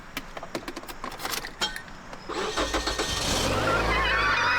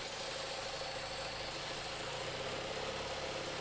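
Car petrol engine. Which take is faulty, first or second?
second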